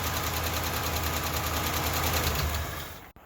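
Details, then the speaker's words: Carbureted Ford LTD V8 after top-end rework: rapid, fairly even ticking about three per second over a rough idle; owner suspects a lifter tap over upper valve train, valve lash to be checked. "that honestly sounds like a lifter tap now that i think about it more than uh more than a a that upper valve train"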